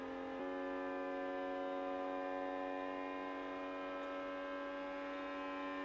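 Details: Sovol SV07 (Plus) 3D printer running a Klipper input shaper resonance test on the Y axis, past 70 Hz toward 100 Hz: a steady buzzing tone slowly growing louder, faintly shaking the table; nothing visible moves; normal.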